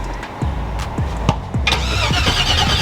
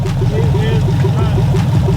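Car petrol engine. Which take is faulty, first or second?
second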